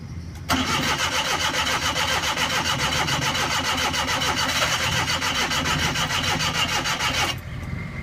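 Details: Suzuki Every EFI: steady starter cranking at about three and a half even pulses a second for seven seconds, never catching; hard starting with extended cranking.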